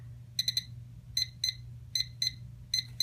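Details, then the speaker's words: Flight-train electronics data logger powering up normally indoors: high clean triple beeps then evenly spaced pairs, repeating every 30 seconds when everything works; two red beeps would mean SD card not installed. "everything is working properly it'll give you those three beeps every 30 seconds"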